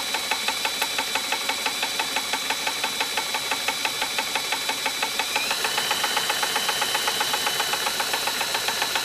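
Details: 1958 Gravely LI tractor magneto spun by drill on bench, poor ground: quick evenly spaced snapping ticks over drill whine as the spark arcs; spark looks slightly orange, judged okay.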